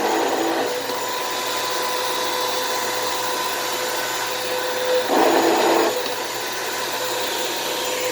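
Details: Thrift store vacuum: steady motor whine with a gritty, uneven edge and a brief louder surge; motor rough on wind-down, less worn than expected, brushroll also sounds bad.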